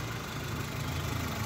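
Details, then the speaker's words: Suzuki Swift after manual throttle body cleaning, restarted with air filter refitted: low, even idle hum with no knocks or misses; idle that earlier fluctuated between 1300 and 1100 rpm now runs smoothly. "Car start जी हाँ, बिल्कुल। सुचारू रूप से गया।"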